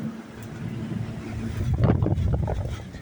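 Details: Coleman Mach 3 rooftop AC unit taken from a motorhome, tested on a cold day: a low even hum with a steady fan rush. The compressor does not hiss because of the cold, but the unit runs normally.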